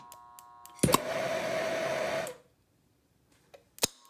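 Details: Burner on a retrofit flame sensor module with 24 V transformer power, spark igniter and solid-state relay: sharp ignition click, then steady soft hissing roar for about 1.5 seconds, cutting out cleanly; burner lights and burns normally.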